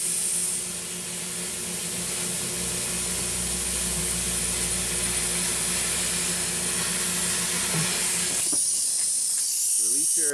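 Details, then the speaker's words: Mercedes-Benz with air suspension, car bottomed out: loud steady airy hiss for about eight seconds then cutting off, air escaping from a worn-out suspension bellows, felt by hand during leak diagnosis. "now I mean just feel the air coming out of this bellows we can put some soapy water on there for visual effects but this thing is just just flat worn out and"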